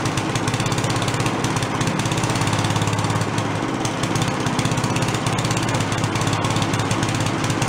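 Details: Late-70s/early-80s garage-sale Giant Vac walk-behind leaf blower, primed: loud rapid even two-stroke buzz flat out, no stumbling or surging; running strong, though the carb has no idle circuit so it won't idle.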